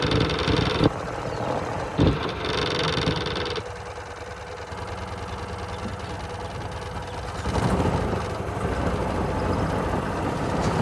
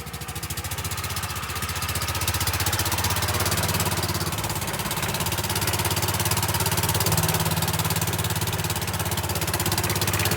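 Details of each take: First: Golf cart small single-cylinder petrol engine after the blown exhaust gasket was replaced: idles with a steady low putter, much quieter than before, no hiss or puffing leak noise. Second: Golf cart small petrol engine idling extremely loud and raw, with sharp popping exhaust pulses from a blown exhaust gasket at the exhaust pipe; fix is new exhaust gaskets.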